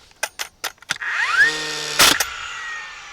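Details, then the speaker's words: DeWalt 20V Max cordless framing nailer firing: a few light clicks, then motor whine climbing quickly to steady pitch before a sharp bang; the normal flywheel spin-up heard before every nail. "Here's one thing that will probably drive a lot of people crazy. Yes, that's right. Every time you go to fire a nail, you're going to hear that revving."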